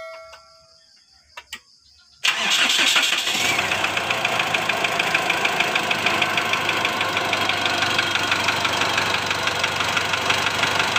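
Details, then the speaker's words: 2008 Mitsubishi Strada Triton GLS diesel after a loose valve adjuster nut was fixed and injector one was ruled out: cranks and catches, then a steady light knock about three times a second at idle; piston slap, the piston striking the cylinder wall, in cylinder one. "Ini masalahnya di piston ngeflek Mister ngeflek ini benturan antara piston dengan dinding silinder"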